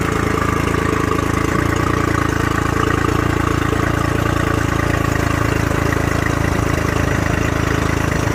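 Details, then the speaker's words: Honda 40 HP carbureted outboard with electric choke, sat 3 months, now on ethanol-free fuel, started at zero throttle: steady, even idle with low regular beat, no misses or surging while warming up; running normally. "that is how you start 40 horse Honda or any of the Honda's or anybody carbureted that has an electronic show stop the trottle bring it back down to our position turn the key that's it"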